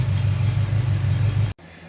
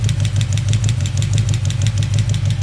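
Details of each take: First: Chevy 350 V8 running with valve cover off after valve adjustment: initially hangs a valve slightly, then smooths to an even low idle rumble with no tick or miss; normal healthy idle. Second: Chevy 350 small-block idling with valve cover off, one rocker nut deliberately backed off a half turn; light, quick ticking in time with idle over a steady rumble from excess valve lash.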